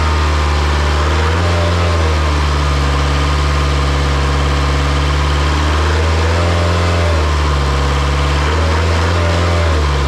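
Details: Isuzu 4-cylinder 60 hp diesel from an air compressor, just revived after bleeding the fuel system. Strong, even high-idle drone with only slight speed wander, no misses or knocks, and no smoke from the stack; normal healthy running.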